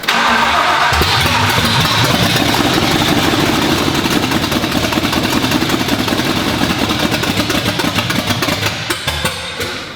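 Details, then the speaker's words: First start of freshly built V8 in shop, exhaust not yet fitted, after building fuel pressure: fires and runs loud and strong, steady even firing, no knocks; healthy engine. "right well it runs and that's a hell of a that's a hell of an engine um so good job guys sounds good"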